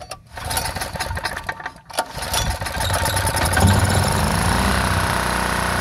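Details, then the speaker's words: Old secondhand generator after fuel filter removal and fuel squirted in; a few sputtering cranks and coughs, then it catches at about two seconds and settles into a steady, even small-engine run. "hey it's running"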